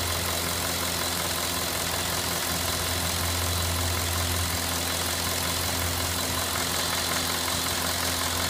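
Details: Cadillac Northstar 4.6 V8 warm at steady idle: faint, fairly even light clicking over the run, intermittent and only when hot; cause unclear.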